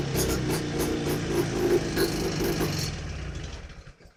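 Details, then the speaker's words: Old AMF vintage snowmobile, last run in summer, first start of season: fires right up with quick, fairly even popping that holds steady before dying away; normal healthy run, a runner. "Well, that one fired right up. And sounds like she's going to run. She wants to go, so I guess that's a runner."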